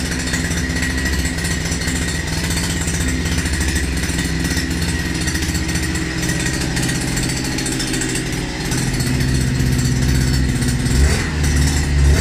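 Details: New Ural Mash 5.7 hp two-stroke brush cutter, first start and break-in, started easily on first pull: steady smooth fast buzz with a brief rise near the end; running normally.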